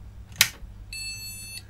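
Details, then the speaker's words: MSI Z270-A Pro motherboard from an ex-mining rig: a click, then one steady long POST beep and no boot. RAM fault suspected, not confirmed. "so let's just make sure this does work well doesn't work sounds like it's got a ram"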